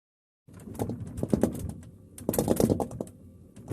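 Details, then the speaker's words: LG refrigerator running while the unit is moved: irregular bursts of light tapping and knocking from the jostled compressor, an abnormal noise but nothing to worry about. "this noise is abnormal but it's not something to worry about this tapping noise is caused when the unit's running and someone moves it the compressor will make that"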